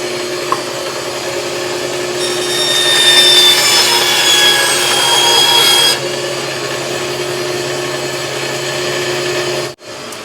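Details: Harbor Freight bandsaw, 2–3 years old, after its burnt-out stock motor was replaced with a Leeson 1 hp motor, first run unloaded: steady even motor hum, smooth blade whir, no knocking or rubbing; healthy.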